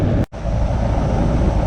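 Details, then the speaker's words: Goodman R-410A AC unit not cooling: only the condenser fan runs with a low whoosh, compressor not starting, confirmed by manifold pressures; failed 45/5 MFD run capacitor. "Se escucha que la máquina nomás está trabajando el puro abanico y no está trabajando lo que es la compresora."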